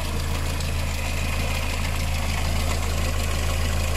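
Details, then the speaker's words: VW engine with timing chain, idling: a light, fairly even tick about three per second on top. Hydraulic lifters tick on water-mixed oil from an early-stage problem with slight overheating; the timing chain stays quite quiet. "diese ist immer wieder her an den tickern wenn wasser durch die hydro stöße fließt also mit wasser vermengte öl marca das nicht die steuerkette ist ruhig das ziemlich ruhig"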